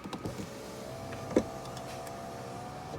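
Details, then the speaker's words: Tesla, about five years old, parked in a garage with a broken door handle. Steady window motor whir as the glass lowers, with one dull thunk partway down that can also be felt in the glass; something inside the door is catching the window. A rebuild kit has been ordered. "when I put it down, it kind of hits something inside the door."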